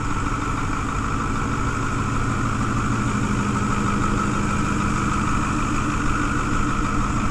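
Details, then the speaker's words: 2010 Ford F-250 6.4 Powerstroke diesel, Copart rebuild: steady, even diesel clatter at idle under the hood with no misses, surges or knocks, no smoke; normal diesel idle. "So, looking underneath the hood, you guys can see that this engine sounds absolutely excellent. Absolutely nothing wrong with it whatsoever. Runs absolutely gorgeous."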